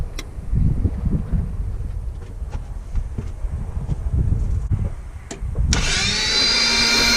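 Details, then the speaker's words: Toyota FJ62 Land Cruiser, about 296,000 miles, dry compression test on cylinder 3: starter cranks at roughly four beats a second, uneven and loose, then a sharp hiss; 0 psi, cylinder freewheeling with no compression. "All right, I think there was no compression in there. Yep, 0. That cylinder was freewheeling, free spinning, free something."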